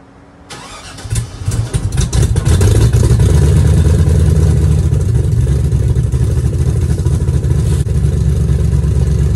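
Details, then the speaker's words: 1966 Chevy C10 with an LS swap, running on small cherry bomb mufflers before the muffler swap: the starter whirs, then the V8 fires into a loud, deep, even burble with no misses or knocks; sounds good. "now if I'm being honest I think that actually sounds pretty darn good"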